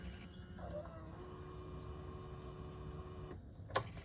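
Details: TVS Callisto scooter that stumbled, clicked, wouldn't accelerate and kept dying. A soft, steady whir for about three seconds after switch-on, then a clean cutoff: normal fuel pump priming. The pump was found weak and dirty, likely from Pertalite fuel.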